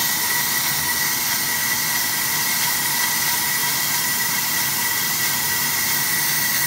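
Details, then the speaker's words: AMMCO brake lathe cutting a large, tough rotor that is unstable through one section; steady hiss with a constant thin tone, no squeal or pulsing, the stable tooling stops chatter developing into a secondary harmonic. "so if you listen to the cut you can hear it would really like to start shattering but the tooling is just eating up the chatter the vibration before it becomes a secondary harmonic it wants to because this is a tough rotor to cut it's not very stable through this section right here"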